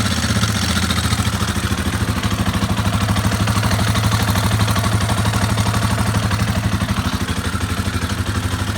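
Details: Warmed-up single-cylinder engine after valve adjustment to 0.010 in, timing chain tensioner not changed: steady idle with a light clatter ticking about three times a second; sounds better but top-end noise remains, cause unconfirmed.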